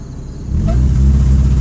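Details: 2003 Mitsubishi Lancer ES 2.0, fully warmed after an hour of driving: revs pick up with heavy, uneven low chug instead of smooth climb; sputtering misfire traced to a bad coil pack, with all four spark plugs fouled with oil.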